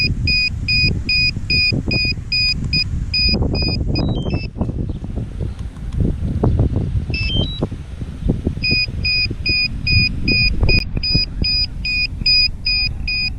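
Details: DJI Mavic Air remote controller fault: sharp high double-tone beeps repeat about twice a second almost nonstop over handling noise. The sticks move on their own and the gimbal wheel moves the stick; cause unknown.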